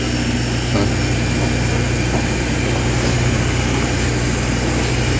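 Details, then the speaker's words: A 220 V AC electric fan converted to 12 V DC, running from solar before the housing is refitted: a smooth, steady low hum with an even rush of air and no rattle or wobble; it spins strong and correctly. "Sakto yung ikot niya. Hindi siya nakakalog. malakas yung ikot niya."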